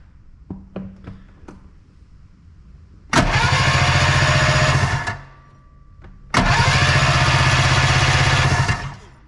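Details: Arctic Cat Puma Deluxe 340 snowmobile, sat about 10 years, cranking with primer fuel in cylinders; steady even cranking never catching, no spark; ignition coil primary later measured 0.8 ohms, suspected wrong, grounding also doubted.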